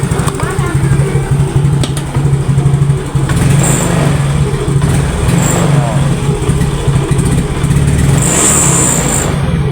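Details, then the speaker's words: Yamaha Mio GT scooter, hard to start and dies when throttle opened; weak starter, kick started: idles roughly, then stumbles and bogs on throttle instead of revving; hesitation, then stalls. "Oke, nyala ya. Walaupun nyala tapi ngok ya."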